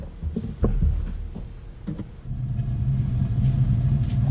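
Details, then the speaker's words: A.O. Smith gas water heater with spark ignition and pilot that keeps going out: a few clicks, then a soft low roar builds and holds steady as the main burner lights after the pilot is proven; normal burner firing. "There it goes. Did you hear it? Now it's blinking. Now I can turn it on. Fires up."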